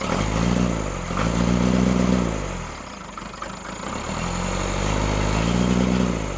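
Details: Freshly rebuilt Cummins diesel in Case 1840, new injectors, rebuilt pump timed 12° BTDC: speed rises and falls with uneven stumbling beat about four per second; misfire, balance test suggests cylinders 1 and 2, cause unconfirmed.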